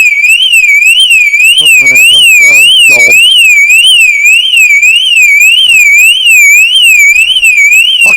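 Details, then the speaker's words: 2010 Mercedes Vito: loud warbling siren sweeping up and down about twice a second, unbroken; aftermarket alarm thought shorted out by water after washing. "I obviously did not like being washed. There we go, fixed. No, yes, yeah. Just keep that there for a minute because I'm going to need to blow. Obviously shorted it out, I think."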